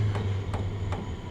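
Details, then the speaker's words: Vevor 2025 portable diesel heater running with the temperature set to 95: crisp ticks about every 0.4 seconds over a low, steady hum; owner thinks it's the glow plug; normal ticking. "That's that glow plug, I think, going tick tick tick tick, and it does that."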